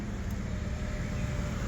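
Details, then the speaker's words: Power window after cleaning the rubber seals and applying silicone lubricant, run up and down several times: engine rumble with faint steady motor hum as the window rises, squeak gone silent, quiet operation. "Gone silent."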